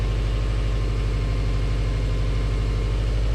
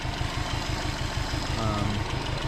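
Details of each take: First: Subaru Legacy GT Spec B after a JDM engine swap, boxer engine idling while warming up and waiting for the thermostat to open; steady low burble with even pulses, no knocks or ticks; normal healthy idle. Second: Subaru Legacy Spec B idling: uneven chuffing beat with light ticking on the cylinder three side, which logged a misfire code; owner suspects valve noise, unconfirmed, and plans to replace the engine — engine ticking at idle.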